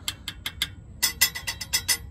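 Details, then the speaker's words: 2005 Honda Odyssey: thin, tinny metallic clinks in quick bursts, about five a second, from a loose metal part being tapped, heard mainly when accelerating; fixed by securing it with a hose clamp. "so when we're driving we hear this rattling noise this noise right here this kind of rattling noise so I think it's this loose part right over here going hit"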